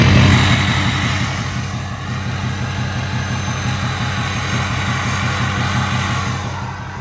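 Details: 2006 Ford F-250 6.0 diesel, idling after a bad IPR valve was found and the HPOP system almost entirely rebuilt with new standpipes and dummy plugs: steady clatter at an even idle, about four pulses a second, no misses or stumbles.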